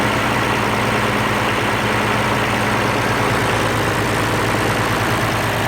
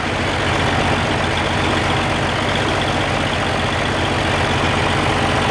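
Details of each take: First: Oliver 1550 diesel tractor after rebuilding the sticky, wet-stacking number six injector: steady diesel clatter at an even low idle with no miss or stumble; it sounds much better, a normal idle. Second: Oliver 1550 diesel tractor after reinstalling rebuilt number six injector, lines bleeding air: uneven lumpy idle about four beats a second; number one cylinder not firing, its exhaust port staying cold, injector to be pulled.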